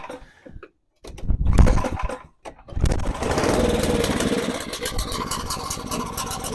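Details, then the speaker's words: Snow blower small engine with a cracked fuel line and a carburettor due for cleaning; it coughs to life, then sputters, surging and stumbling unevenly, getting some but not enough fuel; lean-running carburettor. "It's just straight up not getting fuel somehow. And it's because something in the carburetor. Well, I mean, it is getting fuel, but it's also not getting enough fuel."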